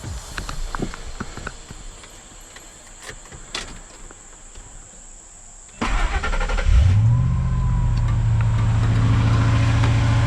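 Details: 1999 Ford F-150 XLT 5.4L V8 just after installing a new serpentine belt: starter catches and engine settles into a smooth steady low idle with no belt squeal or chirp; belt intact, normal.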